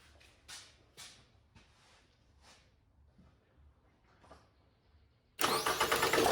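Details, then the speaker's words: 2003 Toyota Camry ACV36R, 2AZ-FE, after starter motor replacement: a few faint clicks, then engine cranks and fires promptly without struggle; normal start, old starter had been hard-starting with audible gear noise. "starts okay good starts all done it starts"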